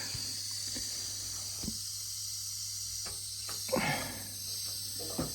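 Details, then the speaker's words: Gravity-fed central heating radiator, airlocked after valve replacement because it needed bleeding: steady high hiss with low hum and a few knocks as trapped air escapes at the bleed valve. "Seems like it airlocked because I didn't realise this one actually needed bleeding."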